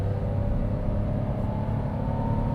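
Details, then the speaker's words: 2025 Toyota Wigo G with CVT under full-throttle acceleration test: steady droning engine note held at high revs with faint rising whine, lots of noise but little acceleration; normal CVT drone under hard throttle. "Again, a lot of noise and not much movement to match."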